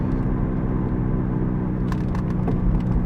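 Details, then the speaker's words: 2008 Toyota Sienna minivan, 141,000 miles, on a road test: a steady heavy low roar and hum from a worn wheel bearing that gets louder when turning left, possibly the left side. "gets louder when I turn left this one actually might be a left side but it's so loud it's like it can't even swerve the car and feel it"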